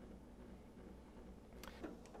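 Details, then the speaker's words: Home treadmill running after alignment adjustment by half-turns; belt had tracked too far left and rubbed the side plastic trim, now a low even hum with no rubbing, quieter and centered. "now straightaway you can hear that it's gone quiet or quieter which is indicating that the face of the belt here has stopped rubbing on the inside of the edge of this plastic trim here"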